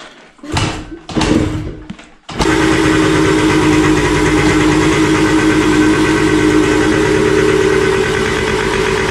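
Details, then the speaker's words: Two-stroke after carburetor cleaning: after a few hard kicks it catches and runs unevenly, lumpy and unsteady; owner suspects the non-original carburetor is badly adjusted and plans to check the spark plug colour. "et du coup elle tourne mais vraiment comme une patate donc je pense que le carabe il doit pas du tout est réglé"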